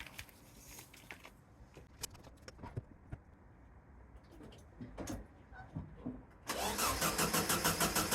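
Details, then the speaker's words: VW sandrail dune buggy, unused for 18 months: steady cranking with no catch. Spark plug and distributor cap look clean, but spark has gone; the owner suspects the roughly 4-year-old coil pack. Cranks but won't start, cause unconfirmed. "Right, spark seems to have gone. The only thing it can be is the coil pack, which is about 4 years old, but it has been stuck for 18 months."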